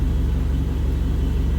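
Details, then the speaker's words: Mitsubishi Eclipse GST turbo, freshly built engine, at normal temperature after a vacuum leak causing idle surge was fixed and BISS screw adjusted: steady, even low rumble just under 1000 rpm, no hunting or surging; smooth idle. "Everything else is running smooth."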